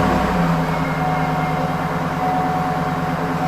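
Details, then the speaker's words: 2010 Cadillac Escalade 6.2 L V8 with about 103,000–105,000 miles, just started and idling, with severe piston slap, a hollow rattly knock in the low rumble, one of the worst heard. "2010 Escalade 6.2 liter man this thing has piston slap from hell it's uh one of the worst I've heard"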